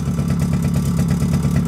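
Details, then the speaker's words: Suzuki LT50 two-stroke started on choke after sitting 5 years, with two-stroke oil added to the petrol: steady fast even idle, slight rattle from clutch springs, a bit smoky; running well, idle slightly high. "Running well though. Started up, it's always been a good engine this"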